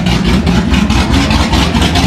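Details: C6 Corvette Z06 with 441 LSX, running after a heads and cam install with coolant topped up and oily headers smoking: deep even burble with a steady lope, no knocks or ticks; engine runs healthy.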